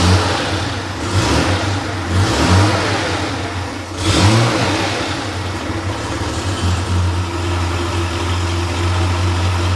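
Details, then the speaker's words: Freshly rebuilt Porsche 911 air-cooled 3.0SC flat-six built to 3.2 short-stroke specs, on a test stand warming from cold start: auxiliary air regulator closed, idle sits slightly low and steady with brief blips, expected to rise to mid-900s rpm; normal warm-up. "So, now the idle's dipped a little bit low. And then as the engine warms up, um you'll see the idle RPM should increase to around the mid 900s."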